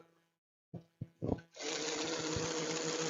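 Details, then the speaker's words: N-scale model locomotive "Wadloper" motor under repair, bench-tested on a transformer before full assembly: after a few short starts, steady even buzzing whir at constant tone; runs, still needs a shim under the motor and tweaking. "I hope you can hear the engine. So it runs. So at least oh, a little bit success."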